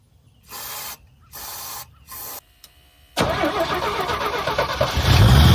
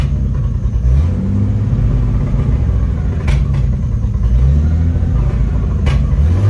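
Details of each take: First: 1975 GMC Sierra Heavy Half after carburetor cleaning with B12 spray: three cranking bursts, then it catches and settles into a steady even idle; owner concludes the issue is fuel supply or the fuel pump, not the carburetor. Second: 1975 GMC Sierra Heavy Half squarebody V8, first key start after 20 years sitting: lumpy low idle with occasional backfire pops that levels out with light throttle; owner suspects the idle is set too low.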